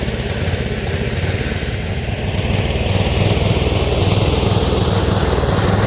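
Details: Speedex model 1630 garden tractor single-cylinder engine with new carburetor, reused old head gasket, running and moving first time in years: thumping about four beats a second, uneven and lumpy as revs climb; running rough, cause unconfirmed.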